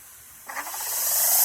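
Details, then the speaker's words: Greenworks Pro 2200 PSI electric pressure washer at switch-on, bleeding air from a long hose to avoid a dry start: quiet, then a sputtering hiss as the trigger opens, rising to a steady strong spray. Normal: pressure takes a couple of seconds to build. "Now when you turn it on, it'll go up to pressure just like so. And then it takes, the only thing that I see about these, it takes a couple of seconds to build up the pressure."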